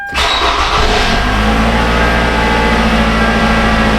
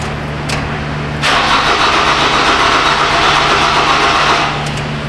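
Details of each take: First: Toyota Camry that died six months after its hacked wiring was repaired, starting after a new part and retainer were fitted: brief crank, catches at once and settles to a steady even idle, no misses or knocks; running like a boss. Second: Toyota Camry, previously towed in with hacked wiring, dead again six months later: starter cranks steadily at about four turns a second but never catches. No fuel pump whir is heard; bad fuel pump suspected over being out of gas.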